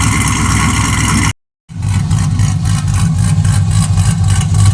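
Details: 1963 Chevy C10 with 5.3 LS swap, HP Tuners tune and new exhaust: loud V8 catches and settles into a deep, choppy lope about three pulses a second, no surging. Healthy, normal cammed idle.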